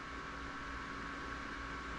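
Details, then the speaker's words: Intel Core i7-975 retro PC rescued from a shed, cleaned, repasted and reassembled, with a GTX 1050 and a Thermaltake PSU, at first power-on: a steady, even fan whir over a soft hum with no ticking or grinding, spinning up normally before POST. "All right, we got power. All right, I hear the fan spinning up. Sweet."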